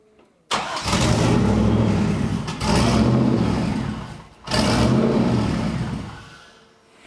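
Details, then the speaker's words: Turbo Z28 Camaro on first start after ECM rewiring catches and revs in uneven surges that sag between bursts; it is running lean and needs more fuel in the tune. "Yep, just needs more fuel. Getting there."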